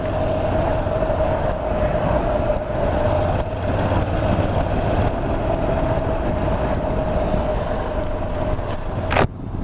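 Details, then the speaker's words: Honda NC750X motorcycle cruising: a constant front tyre whine, a steady mid-pitched tread noise, sits under the wind and engine noise. The owner calls it a minor, ever-present irritation. "more of a minor irritation this one but it's always there it's just whining away all the time not the end of the world like I say"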